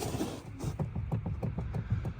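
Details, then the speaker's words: Jeep JK brake pedal: dull repeated thuds with low rattling, heard when going over bumps; visible play at the pedal pivot shaft because the nylon bushings at each end are worn. "hear that noise? When you go over bumps, that's what you hear. It's just a thud sound, but look up in there, you can see there's play in that. And it's just obviously the bushings are worn."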